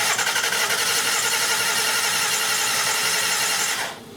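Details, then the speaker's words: 2000 Lexus RX300 3.0L, towed-in no-start: cranks fast and light with a smooth even beat, no effort on any stroke; low compression caused by a stuck-closed idle air control valve. "so clearly on when you when you've done this enough anyway when you hear an engine that cranks that way it has a compression problem you can hear it it cranks really fast"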